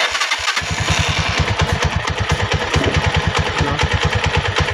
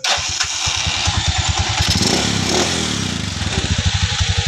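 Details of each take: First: Rusi 175 single-cylinder motorcycle idling with a loud, Kubota-tractor-like clatter, described as a cricket-like sound, on every beat and no droning; suspected worn clutch damper. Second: Rusi 175 motorcycle after repair of a knocking, cricket-like, Kubota-like engine noise: it starts and settles into an even, steady idle with no knocking.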